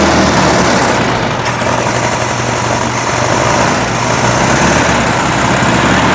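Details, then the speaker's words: 1961 VW Beetle air-cooled flat-four, cold start with choke open on a 46% battery, revival test fire: even unhurried putter, no knocks or grinding; sounds good but pretty smoky, oil and charge lights came on. "Sounds good. Pretty smoky."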